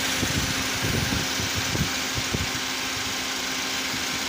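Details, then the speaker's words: Engine idling with the AC on after belt auto-tensioner pulley replacement: even idle with a steady low hum and fan hiss on top; the rattling or cracking from the tensioner is gone. "the sound is normal now not grappling or cracking sound is no longer there"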